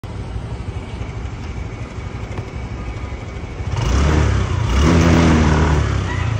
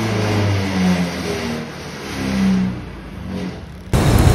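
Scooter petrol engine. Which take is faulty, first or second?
first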